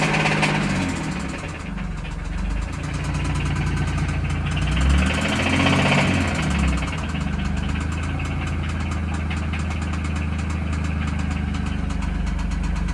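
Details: 2017 Infiniti Q60 Red Sport at idle: over a fairly even idle a dull knock about three or four times a second, loosely regular; suspected rod knock, unconfirmed.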